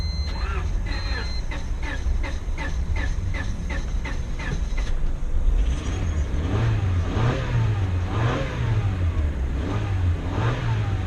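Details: 2000 Honda Civic (7th gen) jump-started from a jump pack with a very low battery: engine catches and settles, then revs rise and fall smoothly in even waves with no knocks or misses; healthy running.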